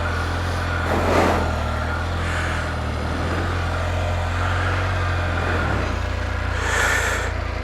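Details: 2020 Can-Am Spyder F3T after a no-start condition, in 50 mph gusty wind, 15 February: even low rumble at a steady speed with no miss or knock. Normal idle after the fix; owner credits cleaning and tightening the connections.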